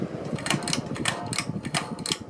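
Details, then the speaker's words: Catalina Lighting Square ceiling fan, dated April 1987, being switched off: scattered sharp clicks and light scraping over a soft hum when the pull chain is pulled too hard; owner thinks the switch needs WD-40; pull-chain switch noise. "oh yeah that also happens if you pull in the chain too hard I think I need to put like WD-40 in it"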